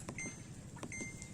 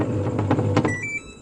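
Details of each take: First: Samsung 11 kg washing machine after repair, tested outdoors: power on, water level selected, start pressed; two brief high beeps a second apart then a sharp click, panel responding normally. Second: Samsung 11 kg washing machine that powers on but won't start (start button found broken): drum motor whirs as soon as power is pressed with no start, which shouldn't happen; control board fault.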